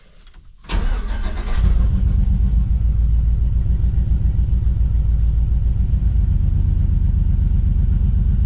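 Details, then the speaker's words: GMC Squarebody with LS V8 after spark plug work: uneven, lumpy idle pulse with one whole bank not firing; misfire caused by loose cylinder head ground wire bolt. "okay now still got some kind of mess that whole side is not firing something ain't right somewhere that whole side is not firing could it be a bad ground"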